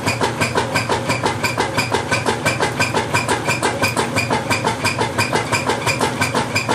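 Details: Whirlpool LSQ9200LQ0 washing machine during the agitate cycle: loud, very regular thumping at about three per second in time with the agitator strokes, cause not yet known.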